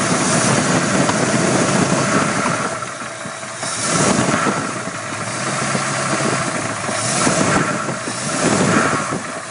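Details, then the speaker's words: 302 small-block Ford started after sitting six months, later found with one deeply gouged cylinder wall and no other damage, possibly from overheating: rough idle with a loose, diesel-like tap-tap chatter; piston slap from the scored cylinder. "you can really hear the chatter the tap tap tap tap tap almost sounds like a diesel motor"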